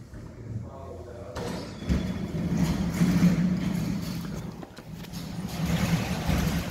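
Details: Volvo S60 that would not start with an immobilizer fault and lost module communication, after splicing and soldering a damaged green cable. It cranks briefly, catches and runs evenly with no fault codes; a normal start.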